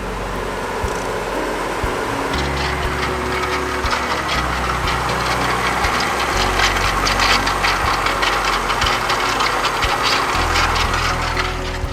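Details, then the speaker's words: Honda Del Sol, stock engine, idling: rough gritty grinding and rattle over the engine without letup; traced by listening under the car to the alternator. "so as you can hear that sounds like trash and after doing some diagnosing and whatnot listening around crawling under the car i trace it down to the alternator"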